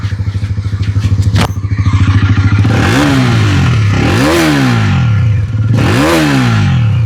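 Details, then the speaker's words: Honda NS400Z after one year, with head internals and meter replaced under warranty: even idle pulses, then three sharp revs that climb and fall cleanly with a raw exhaust sound and no rattle; normal engine revving. "आवाज़ की बात कर लेते हैं तो sound अभी तक इसका काफ़ी रॉ है, जैसा पहले था।"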